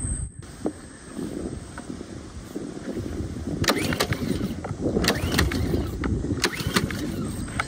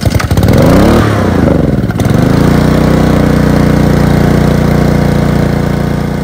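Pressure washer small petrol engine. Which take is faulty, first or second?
first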